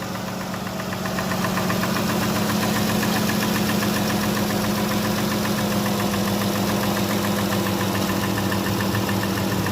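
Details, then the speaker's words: 2015 Dodge Grand Caravan V6 idling with a steady light tapping, about four ticks a second, seemingly from the back, no check engine light; caused by broken rocker arms and hydraulic lifters. "So I could barely hear the tapping. It sounds normal for right now, but yes, there is a tapping sound in this engine."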